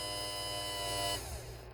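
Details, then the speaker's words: 1971 Cadillac Eldorado power window motor bench-tested after rebuild, running in reverse, raising and lowering: smooth, even electric whine with steady pitch, then a clean spin-down; runs freely without grinding, normal operation. "Okay, so that's the testing of the power motor."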